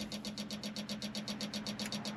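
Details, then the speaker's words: John Deere 190E excavator, key on, engine off: rapid, evenly spaced clicking from the rear, about six or seven a second, over a faint hum. Cause unconfirmed. "Another thing, you turn the key on, you know the clicking back there?"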